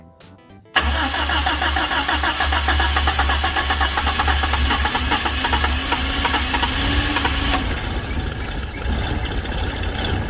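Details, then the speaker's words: Toyota KE10 Corolla first start after base ignition timing was reset to the correct mark: engine cranks, catches and settles into a low, slightly uneven, sagging idle. Idling low; timing still off. "so the first thing is that engine just started but it's idling a little low and the timing's obviousl"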